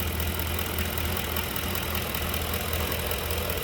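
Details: 2011 Ford Expedition, 5.4 3-valve V8, 200,000-plus miles, running at idle with accessory belt removed: steady smooth low rumble with no tapping; engine itself clean, knock not internal, not timing chain.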